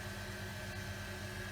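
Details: Workshop rainwater recycling pump, checked in the evening after repair: steady even motor hum with constant mid-pitch tone, no knocking or surging; runs normally and switches itself off.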